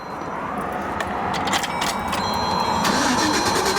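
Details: GM vehicle, possibly a 2005, cranks but won't start: the starter churns steadily and the engine never catches. Banging on the fuel pump ruled the pump out; the cause was a broken ground strap.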